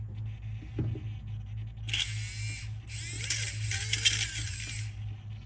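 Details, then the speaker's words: Traxxas Velineon 3500 brushless RC motor after bearing replacement, tested before the pinion gear is refitted; it spins up in two short bursts with a high, even whirr and a faint rattle, possibly leftover debris, much better than before. "Much better. I think there's still some debris in there. Um, you might be able to hear it, but we're looking good."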